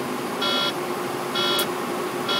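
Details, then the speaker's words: Truck cab while driving: three steady chirping warning beeps just under a second apart, recurring on and off for three weeks; a mechanic found no fault and the cause is unconfirmed. "my truck has been doing this just the third week doing this off and on and i've written it up every day"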